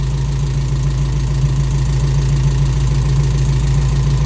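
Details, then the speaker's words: Toyota Corolla KE55 4K-C after first start, with an adjustment made and vacuum lines refitted by guesswork. Steady low idle with an even beat and no misses or knocks, idling not bad; ignition timing not yet set with a timing light. "but that's awesome we got the car idling and it's idling not bad"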